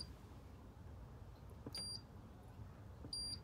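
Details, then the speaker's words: Hoover Dynamic Next DX condenser tumble dryer, bought as not working with reported button problems, powered on for testing: two short beeps, one per button press, so the buttons work normally; the drum later won't turn and smoke appears. "yeah that doesn't seem to be a problem I think that's the um timer"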